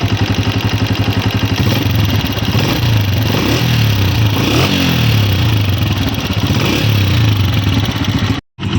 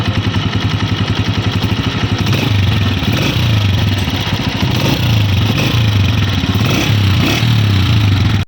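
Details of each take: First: New 2026 Honda CG 125 motorcycle at steady idle, before repair: light, quick ticking of roughly four per second over the engine thump, typical of loose tappet valve clearance. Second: New 2026 Honda CG 125 motorcycle, bought in with an engine noise complaint: even single-cylinder beat staying steady as revs rise, no tappet tick; normal healthy running.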